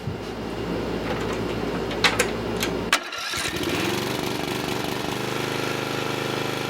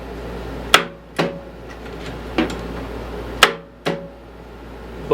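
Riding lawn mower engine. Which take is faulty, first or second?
second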